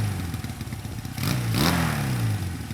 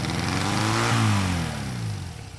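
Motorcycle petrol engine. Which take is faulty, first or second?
second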